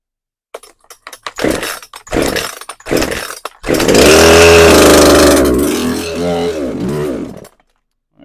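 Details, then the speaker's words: Poulan Pro PR5020 chainsaw, hard or no starting, fresh fuel and primer filling, choked and primed: several rope pulls, then it fires and buzzes about four seconds before fading out and dying; starts but won't keep running. "So it does start but uh won't stay on."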